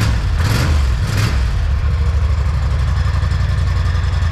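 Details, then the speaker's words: 2021 Polaris Sportsman 850 Highlifter ATV on the stock exhaust, before the straight pipe is installed: deep, lumpy idle with a choppy low beat after a short blip of revs. Normal healthy idle. "it already sounds pretty good it's kind of like a choppy sound so i'm gonna go ahead and start it"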